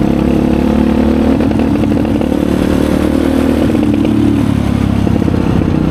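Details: 2020 Chinese Apollo 250cc dirt bike, sat 2 years with gas left in carb, ridden: single thumps at middling revs, pitch lifting then sagging instead of climbing; owner suspects dirty carb.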